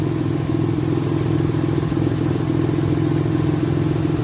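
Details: After Tiida alternator conversion, idling: steady even smooth low drone, no knocks or whine; charging levels out at 13.4–13.5 V, battery light off; normal idle.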